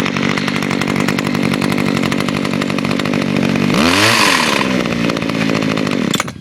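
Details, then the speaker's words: Kawasaki-powered two-stroke trimmer with auto choke, started with a quick pull, running somewhat smoky. Buzzes steadily at high speed, dips briefly when throttled, then shuts off cleanly. Works fine, normal running. "Yeah, see, it works fine. Definitely suggest Kawasaki."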